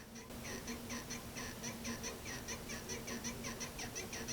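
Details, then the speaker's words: Otto Bach piano, sustain pedal pressed, microphone facing damper pads: rapid high chirpy squeaks, about four a second, from leaf springs rubbing red pressure pads; fixed by reseating each spring; squeaking damper spring. "Noisy, and then the next one next to it. And what happens is if you add the sound from all of them, you get that total squeak."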